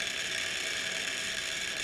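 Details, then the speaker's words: Vehicle HVAC blower motor running on second or third speed: steady, raspy high-pitched whir with a gritty edge from a bad bearing; it draws almost an amp more than a good motor and barely turns at low speed. "this motor's actually good a bad bearing and you can hear that it's noisy"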